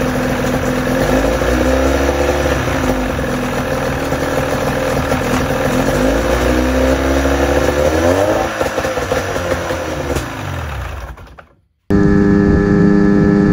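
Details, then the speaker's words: 1984 Johnson 28 SPL outboard after cleaning stuck carburetor float and needle that blocked fuel to the bowl. Runs on its own, revs rising and falling evenly with steady two-stroke buzz: normal running. "so there you go how to clean a carburetor that has a stuck needle"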